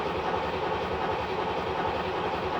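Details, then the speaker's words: 1986 C4 Corvette L98 V8 cranking steadily with no firing, with the 10 A fuel pump fuse pulled to purge fuel rail pressure before installing new injectors; the owner suspects the old injectors leak. "But just to be sure, we're going to crank it over a few times with the fuse out, so therefore we are purging the pressure from that fuel line and therefore, you know, the fuel rails."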